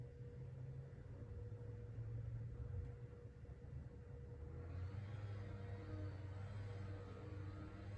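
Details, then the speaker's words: Emerson Casablanca Classic ceiling fan, cleaned, no light kit, on low speed: soft steady hum with a faint even tone and no rubbing or clicking; original bearings make only a tiny noise, mostly audible with the blades off. "and the original bearings are still pretty quiet they're making a tiny bit of noise but for the most part they're still very quiet"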